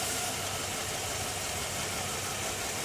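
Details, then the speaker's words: 2007 Chevy Tahoe with P0300 random misfire: removing the jumper from the ground wires on the driver-side engine block behind the cam sensor connector leaves the engine running rough and uneven. Open sensor ground from barely-touching ground wires. "i try to remove the alligator the only one off watch this again hear this so that there's no ground there here"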